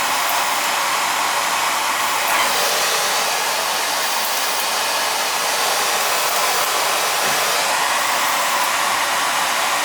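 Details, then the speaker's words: Oil burner that keeps tripping out after running briefly: steady roaring hiss of the burner with no pump whine. Oil smell noted. The fuel pump isn't pumping, so it's a bad pump; the motor-to-pump coupling is to be checked and the pump replaced. "it's not pumping it's a bad pump that a [ __ ] it's not pumping"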